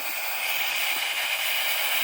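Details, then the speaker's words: Small 100 psi steam boiler being fired up: safety valve pops off, lifting cleanly at set pressure with a steady loud hiss of venting steam, no pulsing, just before a whistle is first blown. "the safety pop off there a little bit and we'll give the whistle a shot"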